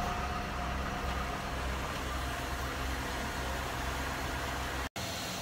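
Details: Cadillac DeVille Northstar after alternator replacement and charging a dead battery: steady, even idle with a smooth low hum and alternator winding audible, no knocks, squeals or misses; engine healthy, charging about 15.1 V.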